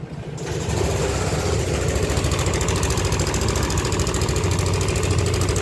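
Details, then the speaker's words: Red 2021 Yamaha All New NMAX 155 at idle with a history of late oil changes: a coarse, fast clattering rattle over the engine beat; initial diagnosis suspects the cam chain tensioner, not yet confirmed. "kasar seperti ini muncul ya informasikan dari pemil kendaraan informasi riwayat pernah e Terlambat untuk melakukan pergantian oli nah kali ini suara kasar ini untuk diagnosa awal kita curiga ke bagian dari Tensioner ya"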